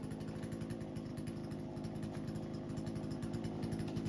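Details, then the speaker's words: Husqvarna 120 Mark II chainsaw after carburetor adjustment and resetting the idle screw: a strong, steady buzz while cutting wood without bogging or surging; the carb is well set. "so you can see our carb is set pretty good it cut through that piece uh well cut a bigger piece here"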